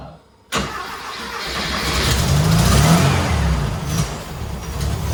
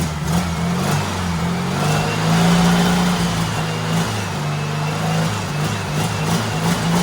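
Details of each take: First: Turbo rat rod Porsche 930 on a new carb, sat unrun for months, after two hours of tuning: fires abruptly, then rough lumpy idle that sags and surges; fuel pump maxed out, owner suspects fuel starvation and a weak pump. Hard start and poor idle. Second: Turbo rat rod Porsche 930 with a new carb revs smoothly through repeated blips, with no misses or knocks, reaching about 8–9 psi of boost (nearly 10): healthy running.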